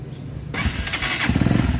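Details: Italika-type single-cylinder dual-purpose motorcycle catches and settles into a low, even thumping idle with no exhaust hiss, after an exhaust leak at a joint was sealed with a new gasket.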